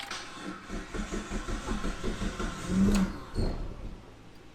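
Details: Car brought back to running with jumper cables on the battery, its first start after repairs: a few seconds of steady cranking pulses, then it catches and settles into a quiet run; starts normally.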